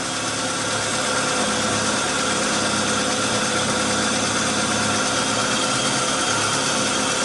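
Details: Fiat Uno Fire 2012 idling roughly with a dense, uneven hiss-and-clatter, engine light always on, high fuel use, manifold pressure and engine load above limit, injection time 6.56 ms at idle; timing belt one tooth out.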